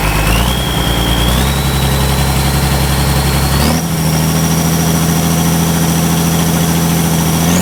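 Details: Ford 5000 tractor with a swapped-in Ford Brazilian 7.8 six-cylinder turbo diesel, early run after first fire-up, long-sat engine burning off water vapor: steady clatter with a turbo whistle rising as revs step up, even firing throughout; engine runs sound.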